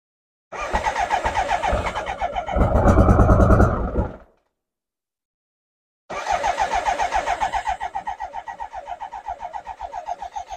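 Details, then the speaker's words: BMW K100 motorcycle with fresh fuel and a new fuel filter: rhythmic cranking, a brief catch that nearly fires, then dies, and a second try won't run. Owner suspects fuel delivery and plans to check fuel pressure, the regulator and the injectors. "also it now has been filled up with fresh Fuel and does turn over and tries to start as you can hear it tries to start a little bit there so let's try it"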